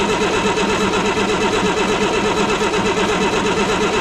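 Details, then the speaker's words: 1987 Ford L8000 turbo diesel semi parked 16 years: steady starter churn about a hundred beats a minute, never catching. Fuel reaches the cracked lines but not the injectors; a gunked-up electric fuel shutoff solenoid is suspected. "Hold it. I'm not getting any fuel at the injectors."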